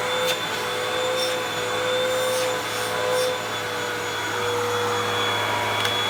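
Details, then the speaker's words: 2012 Hoover WindTunnel 2 Rewind UH70820 vacuum on first run: steady even motor whir, constant high pitch, no rattles or surging; smells bad but motor runs fine. "oh smells terrible but otherwise seems fine"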